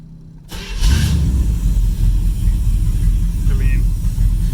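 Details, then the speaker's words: 1978 Corvette 25th Anniversary, L82 V8, sat 20 years in a field, starting on one turn of the key: engine settles to a rough low idle with a thin whistle from a headlight vacuum leak that stops when the lights are switched on. "You can hear that whistling. Lights on and it stops."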